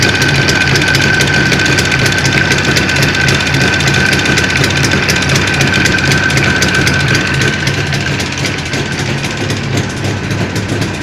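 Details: Jawa 638 two-stroke under build with a tired cylinder-piston group at idle: loud rough idle with steady fast knocking, roughly four beats a second, plus chain clatter; crankshaft knock and slack chain.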